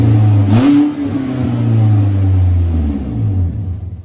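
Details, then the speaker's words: 2010 Chevrolet Equinox after leaking exhaust repair with replacement part fitted (one rear spot still to be welded): quick throttle blip, then low even quiet idle with no ticking or puffing; exhaust sealed and healthy. "that's it amazing difference guys i don't know if the video as i said last time does it justice but it's so quiet"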